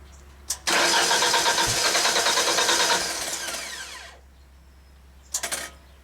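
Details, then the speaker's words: 1995 Genie Z45 lift, cranked from platform controls during stall/no-start diagnosis: starter turns the engine briskly for about three seconds with no fuel pump hum, though the pump runs when keyed from ground controls; pump not running from platform. "Is the pump running? Can you guys hear it? I don't hear the pump run. I didn't hear it run."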